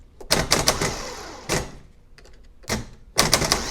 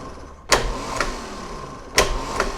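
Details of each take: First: Used gear-reduction parts starter for a 1990 Jaguar XJS V12, bench-tested: sharp clacking as the drive kicks out, then a thin rattly whir that never builds RPM; abnormal starter, judged junk. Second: 1990 Jaguar XJS V12 large direct-drive starter, bench-tested off the car from a battery charger during refurbishment: two sharp clunks as the drive throws in and out, steady motor whine between; spins up strongly, drive slightly noisy.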